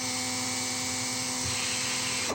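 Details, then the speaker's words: New, never-used 2008 Makita cordless drill with an old-style battery, running free: light, high, steady whirr with no grinding, winding down cleanly. Quiet, normal free-running motor. "Sounds like a little toy, doesn't it? Sounds like like a little toy."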